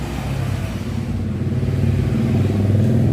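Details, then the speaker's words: Yamaha Xeon carburetor scooter after starter relay replacement: starter motor spins freely and smoothly but does not turn the engine, no compression beats; worn starter clutch/one-way gear not engaging. "Oke saya starter ya Nah dinamo starternya berputar dengan lancar Ya tapi e mesin tidak diputarnya"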